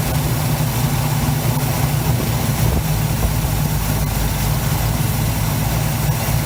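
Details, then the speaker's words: 1971 Chevy C10 V8, long yard-sitter, restarted after an arcing cable fire was fixed: deep, even idle with a steady low rumble, no knocks or misses, a little smoky, normal healthy idle. "Sounds healthier now. This thing is gonna be a bad bitch. A little smoky."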